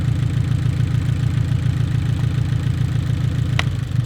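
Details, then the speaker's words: Abarth 500/595/695 idling with cylinder four's coil unplugged, after the cylinder-three spark plug was swapped into cylinder four: deep, lumpy, uneven beat about two pulses a second, running on fewer cylinders. No change, so the swapped spark plug is faulty. "Yep. That is unplugged and there's no change, which means the spark plug that was in cylinder three and is now in cylinder four is at fault."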